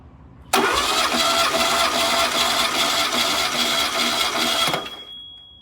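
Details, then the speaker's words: Freshly rebuilt VW Type 1 1776cc flat-four cranked on the bench during a compression test: about five seconds of steady, even churning with no drag or missed beats. Readings are about 150 psi per cylinder, equal across all four; normal cranking. "3 and then last but not least cylinder four yep pretty equal across the board"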